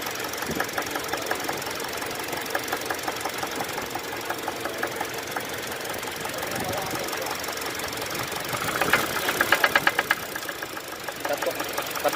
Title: Engine Knocking Sound.